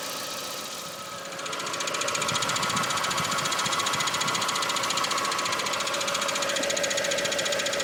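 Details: Mk4 Golf GTI 1.8T idling on axle stands, recorded from underneath: a steady fast put-put pulsing, with a strange vibration at idle; new dog bone mount and front ARB bushes seemed fine, owner suspects a loose pipe; cause unclear.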